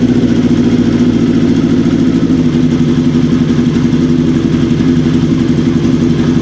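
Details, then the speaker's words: Kawasaki KZ750 four-cylinder after fixing a vacuum leak with new intake boots, carb mixture screws being adjusted on cylinders three and four before synchronizing: fast idle with a slightly lumpy pulse that is evening out; rough idle improving with mixture adjustment. "and already we can hear a change a nice change starting to happen already and that's even before we do a sink"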